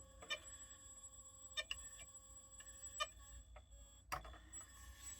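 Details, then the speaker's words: Failed hard drive in a dock before teardown: faint steady whine with a few sharp irregular clicks, about five in five seconds; heads literally stuck in place, platters won't spin properly, no obvious cause seen. "The heads are literally stuck."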